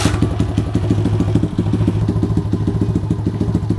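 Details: Honda CT70 Trail 70 small single at steady idle during wiring rework, new battery charging about 15 volts while running: crisp even regular beats, no misses or knocking; normal idle.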